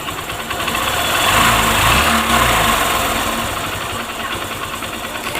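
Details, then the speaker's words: Honda Shine single-cylinder after timing chain tensioner fix, previously intermittent tick-tick chain noise despite new timing chain: even idle with brief throttle blip, no chain rattle or knocking; noise now gone, normal idle. "थे cutter Patel जैसे जो आवाज था किसी time जाहिर करता था किसी टाइम नहीं वह चीज है अब आवाज बंद हो चुकी है"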